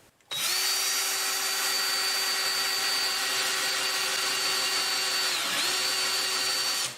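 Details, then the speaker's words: Drill with a harder, better-quality bit drilling hard steel for a homemade sawmill blade sharpener, oiled: high steady whine with constant scraping, speed barely dropping; the bit is rubbing more than cutting, working but barely. "yes it is working but barely it's working"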